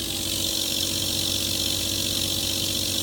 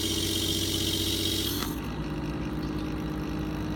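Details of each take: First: Pump, bypass set to 80 psi, operating near 60-65 psi: constant hiss with fast rough fluttering chatter about three pulses a second as the bypass engages; fix is raising the bypass setting. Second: Pump with bypass reset to 80 psi, operating around 15 psi: even, steady hum with no surging or bypass chatter; normal running, engagement returning only near 60-65 psi.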